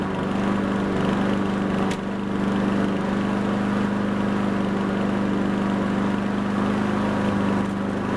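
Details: Honda Harmony 215 mower engine, warm, after a third carb cleaning; the low-end idle mixture screw broke and could not be cleaned. Steady, even drone at constant speed with no misses, surging or knocks; normal running.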